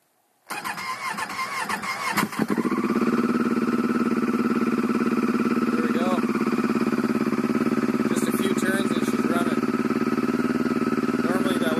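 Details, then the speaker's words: 2007 Phazer at about minus one degrees, previously hard starting, now with a cold start ECU installed, good gas and battery: brief cranking catches within seconds, then a steady, even idle; normal cold start, cold start ECU credited. "taken for sure 15 or 20 CR so I guess the cold start ECU is the answer"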